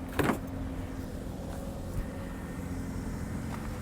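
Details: Abandoned C3 Chevy Corvette at an insurance auction, long-sitting with about half a million miles: soft, even idle hum with no ticking, knocking or hunting; the engine idles quietly and smoothly, running perfect.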